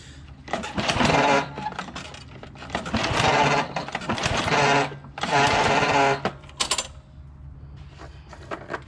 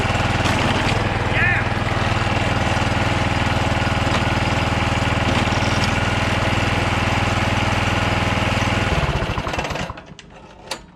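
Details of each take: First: John Deere JX75 walk-behind mower after drive cable replacement: repeated whirring pull-cord bursts about every two seconds, engine never fires; spark plug not put back on. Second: John Deere JX75 walk-behind mower after drive cable and clutch lever replacement, restarted with the spark plug refitted. Steady, even putter with no misses or knocks for several seconds, then winds down and stops. Normal running.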